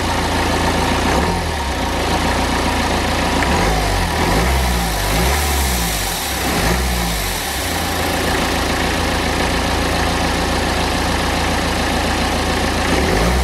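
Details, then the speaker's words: BMW N47 diesel with lost power, before repair: idle and revs rising and falling under a steady airy hiss from a split charge-air pipe, whose bracket failed, with an old temporary repair on it. Boost leak. "And if you was able to hear then, there was quite a lot of hissing coming from this area, and obviously it's pretty easy to see why."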